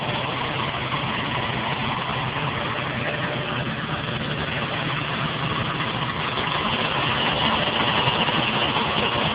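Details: Ford Taurus idling steadily after cold start: loud thin high-pitched squeal over the engine; likely belt or pulley, cause unconfirmed.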